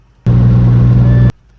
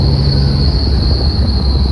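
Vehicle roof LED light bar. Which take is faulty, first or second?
second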